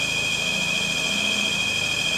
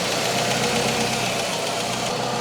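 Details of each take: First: Citroen CX GTi first start after head gasket work: steady high-pitched whine over a smooth-running engine with no pitch change; it's the alternator, no issues. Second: Citroen CX GTi after head gasket job, skimmed head and valve adjustment, warm at 57 degrees on the gauge: smooth, even idle with light mechanical hum and gentle swells, no ticking or knock; normal idle.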